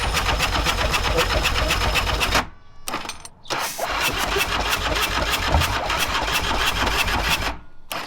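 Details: Old Harley-Davidson V-twin cranks in quick steady bursts, about four turns a second with pauses, but never fires; wire connections were just flattened with washers after toasty wires.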